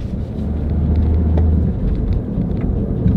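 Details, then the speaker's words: Front-wheel-drive car with worn, oil-burning engine, driving on the road; a steady low roar under road noise that grows with speed, both front wheel bearings worn. "hear that roaring noise we'll go faster and you'll hear it better as well that lows that means the front wheel bearings are going out too"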